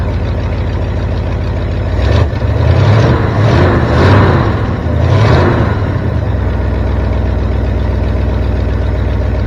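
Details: 1973 Ford F350 dump truck petrol engine after fixing a vacuum leak: deep steady rumble settling into an even idle with no knocks or misses; running normally, carburetor may still need adjustment.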